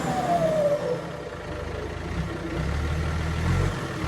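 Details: Diesel engine after flushing dirt from fuel system and bleeding lines to cure weak power; steady even idle, picks up cleanly when revved, no misfire or stumble; fuel delivery now healthy.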